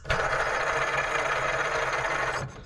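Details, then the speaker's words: Cub Cadet mower idler pulley by the transmission, spun by hand: a rough, gritty rattling whirr from a worn bearing close to seizing, which risks burning the belt; run for now, with a replacement ready. "Bearings don't sound good on that one."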